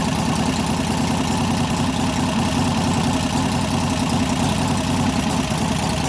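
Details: 1988 Harley-Davidson FXR V-twin after a cam change and pushrod adjustment to fix lifter noise: a steady, even idle with a deep rumble and no lifter tapping. The engine sounds healthy.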